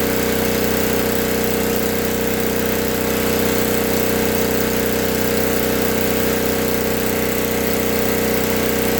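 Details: 1964 Lincoln Weldanpower 150 AC welder/generator (year guessed) cranked to high rpm after a new coil, condenser, plug, plug wire, fuel line and filter, and reset points. The magnet had been rubbing the coil. Even fast single-cylinder drone with a steady hum, no surging or knocking. Running well.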